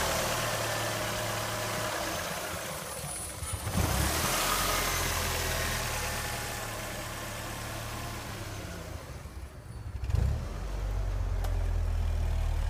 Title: 2001 Ford Focus miss fire rough idle for sale on eBay